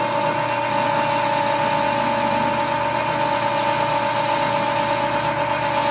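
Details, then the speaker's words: Lathe with dual belt drive through the gearbox, roughing a spring perch sleeve: two steady mid-pitched tones over the cutting noise, worn drive belts rubbing when the tool takes a good bite, not tool chatter; belts need repair. "a little bit of rubbing you hear it's not chatter on the tool this has a dual belt drive that goes through the gearbox and those belts are desperate need of repair so when it gets in there starts taking a good bite they get a little noisy"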